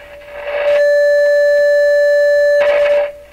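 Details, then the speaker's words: Rogers 11RA651 shortwave radio audio stages, signal fed into the phono input (built for a ~1 V ceramic cartridge): loud steady ~600 Hz tone with faint overtone, clean, no hum or motorboating; amplifier output normal. "This is built for sure for a ceramic cartridge with about a volt output. Sounds pretty good. I don't hear any kind of problem with that."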